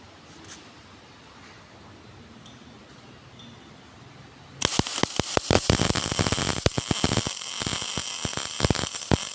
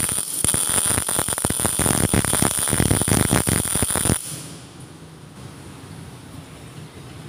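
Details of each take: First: GMAW MIG welding at the correct setting of 17.8: after a quiet start, a steady, even frying crackle with no stuttering or popping, smoother than with wire too slow or too fast; normal arc. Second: GMAW MIG welding at 17.8 V and 4.2 m/min wire feed: harsh, irregular crackling arc with stuttering pops for about four seconds; wire feed too high, reduced to 4.0 m/min.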